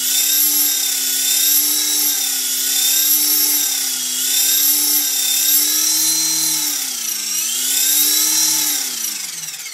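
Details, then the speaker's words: EXI-450 RC helicopter spooling up, main gear and main shaft wobbling from the factory; high whine swells and dips about three times a second, a wavering chop; owner suspects the wobbling main gear, unconfirmed. "if you see the main gear wobble i hope you can see this but gonna listen to that do you hear that chopping"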